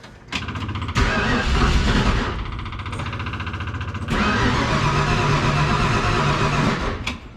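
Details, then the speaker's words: 1966 Mustang V8, first start attempts in 40 years, loosely wired: two bursts of fast cranking, engine briefly catches and stumbles then dies each time; owner thinks it needs more fuel. "okay it must need a little more fuel that's cool with me man"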